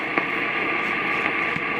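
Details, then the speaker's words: Midwest tube radio restoration, second AM radio placed beside it tuned off-station: steady high whistle over static shows the converter's local oscillator is running; no squeal would suggest a bad converter tube. "you hear that that's the local oscillator in here affecting that radio so that tells me that tells me that the local oscillator in here is running"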